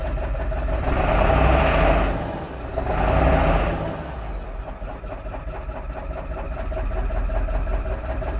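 Two quick blips, then an idle that pulses and wavers instead of holding steady; engine is idling rough.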